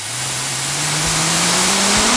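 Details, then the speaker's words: Pneumatic hand dryer, microphone moved close: loud airy hiss with a low-frequency hum at low flow that climbs in pitch as airflow increases; air jet oscillation, rate rising with flow. "there seems to be a very low frequency oscillation at this low uh at this low flow rate let's try increasing that now yeah you can definitely start uh hearing it now as to go off way way more"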